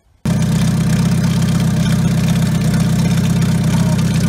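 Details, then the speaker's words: Car run with the faulty turbo removed, after chasing a noise blamed on the new timing chain: engine catches and settles into firm even low idle, no whistle or rattle; noise gone, confirming the turbo as the cause. "باهي تو راني نحيت التربو فهمني حطيته اكوتي نجرب الموتور ديريكت فهمني فوالا باش نخدم الكهرباء توا وتو تسمع حس الموتور تبدل نورمالمون."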